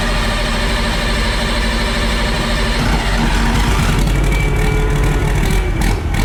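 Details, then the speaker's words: Worn Perkins 6354 turbo diesel, oil leaks worked on and cooling system bypassed, gives a deep, even clatter that holds steady when throttled through neutral, forward and reverse, with no knocking or misses; it sounds healthy. Smoke is thought to be just water. "Neutral. Forward. Reverse. That doesn't sound that bad at all, does it? No. You can hear that turbo spooling up as well."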